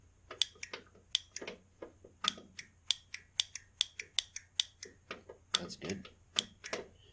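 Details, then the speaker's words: Ariens riding mower with electric fuel pump, key on after carburetor rebuild and reinstall, checking for flooding: sharp dry ticks about one or two a second in a quiet room, fuel pump clicking normally. "I really left the key on because you can hear it clicking already"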